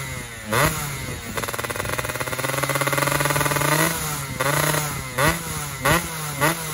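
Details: Fizr two-stroke test-ridden after upgrading to a PWK28 carburetor: it revs up and drops back in uneven blips, heavy and blubbery down low and thin up top. Jetting is rich at the bottom and lean at the top, so the pilot and main jets will be changed.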